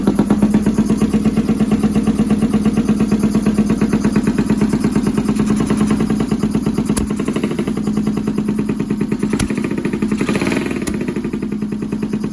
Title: CX500 || mikuni carbs right cylinder misfire